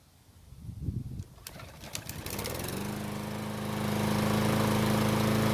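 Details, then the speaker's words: Troy-Bilt lawn mower after repair, fresh gasoline added, oil possibly overfilled about 1/4 inch (checked off level), run several minutes to full heat: catches after a few pulls and holds a steady, even drone; normal running. "It's been running for several minutes and it should be good and hot."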